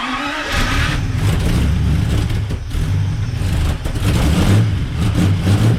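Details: 1939 Buick coupe with 248 engine, first start after coil replacement and points check, weak battery: cranks briefly, catches within a second, then settles into a steady, even low rumble with no knocks or misfires; normal running.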